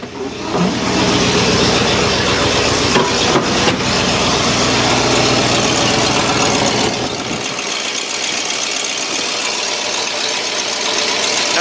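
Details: 1963 Oldsmobile with newly fitted electric fuel pump, just started after setting the choke: steady, even idle with a rough edge but no knocks or misses, settling and holding speed; no fuel leaks seen, running normally.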